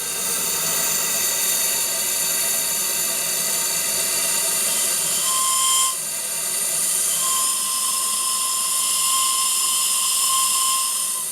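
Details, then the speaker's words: RC steam tug Côte d'Émeraude (Stuart D10, 1.5 L boiler, two burners) whistle: a long whistle body gives a slightly lower pitch; a clear, steady whistle in short and long blasts over steam hiss; the whistle works properly. "Et vous constatez que le corps du sifflet étant long, le son est légèrement plus grave que sur les autres bateaux que je vous ai déjà présentés."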